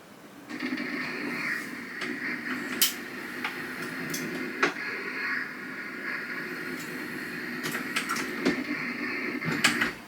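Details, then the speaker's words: Mk7 Auto Drive on new Dillon 750XL reloading press with new caliber conversion kit, first powered calibration run; steady motor drone with mid-pitched whir and occasional clicks through the stroke, smooth and even; normal calibration cycle. "I'm going to very quickly run once up and once down. And that's all the way up. That's all the way down."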